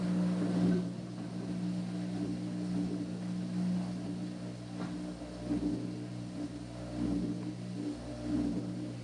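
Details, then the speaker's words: Washing machine being diagnosed for no-water-fill complaint; steady low pump hum with gurgling surges as water runs out, pump sucking air (cavitation); normal drain pump running dry. "cavitation dry pump sounds"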